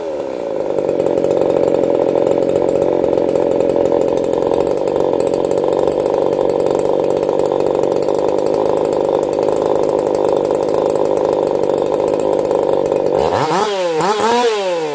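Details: Echo CS4910 chainsaw, experimental taper-top piston/crank swap, about 6° advance, running a little warm (about 180 psi cold, 160–170 warm). High steady two-stroke scream holds revs through the cut without popping or stumbling, then drops off cleanly; normal running under load.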